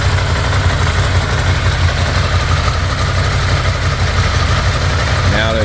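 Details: 2016 Ducati Scrambler from a total-loss insurance auction, being resurrected: steady low twin-cylinder idle, slightly lumpy, with no knocking or ticking; engine running normally.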